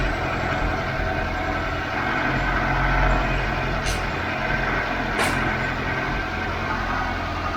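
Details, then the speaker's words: Mk5 Ford Cortina 1.6 GL Pinto engine after fitting Accuspark distributor, warming up: steady even idle hum, no misses or knocks, a couple of background clicks; runs fine once warm. "That sounds peachy creamy, James. It's alright, isn't it? Well, once it warms up."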